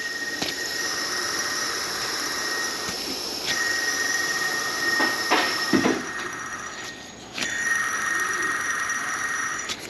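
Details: 2012-ish Toyota Tundra with constant drive belt noise: removed old idler pulley spun by hand gives gritty hissing whir with thin whine, bearing worn out; new one silent; belt and both idlers replaced.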